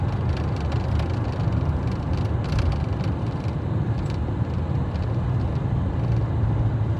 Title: Fiat Freemont weird noise